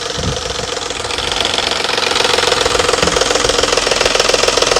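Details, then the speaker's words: Petrol car at about 115k miles, idling cold: quick fairly steady tapping up top, three to four taps a second, that stops suddenly; cam phaser suspected, not valve train, not confirmed. "ladies and gentlemen that is not a valve train ticket noise yes it sound like it's right here look see how it just stopped all of a sudden it just stopped because the cam phaser the spring mechanism inside the phaser likely caught up with itself"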